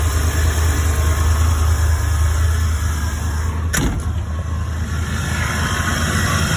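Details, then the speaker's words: 1975 Ford E100 van V8, first runs in about 20 years, gravity-fed fuel, fuel pump confirmed working; deep, steady idle burble, even low drone, no ticking or rattles; running smoothly. "okay that was that was really nice to hear that run"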